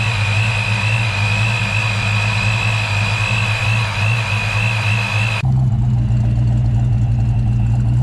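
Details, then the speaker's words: 1993 Ford Mustang Saleen SA10 chassis after new fan clutch, MSD coil and supercharger belt: steady idle with high supercharger belt whine and no fan roar; engine even, normal running. "oh yeah that's a lot better no more roar from the fan"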